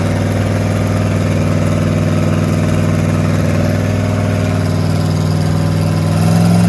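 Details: Rat rod small-block Chevy 350 V8 with a new turbo cam, during cam break-in at raised idle: steady, even rumble with a regular beat, no misses or ticking; normal running.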